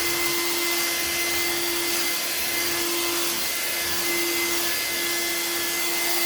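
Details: Old-school Bissell Featherweight stick vacuum with cleaned filter, run on hard floor: steady high-pitched motor whine with airy suction rush, constant and even; runs normally, only shooting a little dust out the exhaust.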